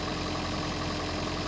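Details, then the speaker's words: Toyota Prius hybrid petrol engine, hybrid battery recharged after dropping too low to start the engine; air conditioning on high keeps it running. Quiet, steady idle hum with faint even beat, no stumbling; earlier trouble suspected low or stale fuel after sitting most of a year. "as you can hear and he's running sounds pretty good so I think he either had low amount of fuel in it or maybe more likely not a lot of fuel plus since it's sat for most of a year maybe the fuel was bad that was in the tank"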